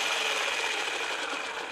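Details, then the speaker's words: RC ESC after fixing red-light blinking with no throttle, likely a loose connector reseated until it clicked: steady, even high-pitched motor whir with no stutter or cutting out; running normally. "so the blinking stop so it probably was a loose connection here"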